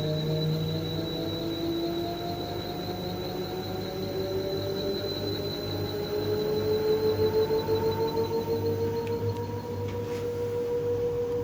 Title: LG TurboWash, TubClean Cycle, Squeaking Noise